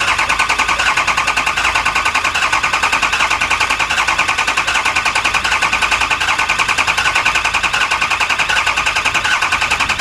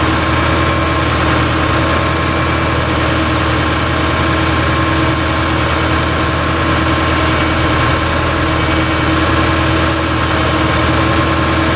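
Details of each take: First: Lifted 4x4 6.0 Powerstroke diesel van, back with a no-start after a Bulletproof repair, cranked for a relative compression test: steady, even beat with no skipped strokes; compression good; mechanic suspects a pre-existing cylinder two injector problem. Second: Lifted 4x4 6.0 Powerstroke diesel van, back after a Bulletproof kit with head studs, gaskets and injectors, and a no-start: steady idle with a slight dull knock under the clatter; possible internal damage such as a broken piston skirt; cylinder 5 shows a 4% compression drop.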